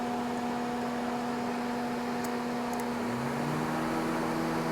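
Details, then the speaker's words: 2009 Honda Civic (8th gen), key in Run with AC on max, engine off: steady fan hum, then second fan spins up with rising tone and settles; condenser and radiator fans both working. Normal cooling fan operation. "turn the key to the Run position and then turn the AC on Max and you can hear the fans running let's go check them alright so both my fans are working"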